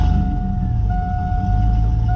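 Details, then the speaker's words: 2000 Chevrolet Silverado hunt truck, oil just changed to full synthetic, running with no exhaust system: loud, deep, rough idle rumble with a harsh bark and no muffling, way too loud; good oil pressure, gauges erratic from a bad cluster ground. "That's what they sound like with no exhaust. Crazy. It's way too loud."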